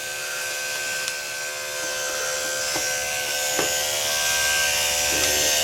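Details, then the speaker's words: Rebuilt Andis SMC 5-speed grooming clipper with blade fitted, smooth steady high buzz, no rattle or strain; normal running after rebuild. "Put a blade on it. I like to test with the blade. Sounds beautiful. There it is, it's done."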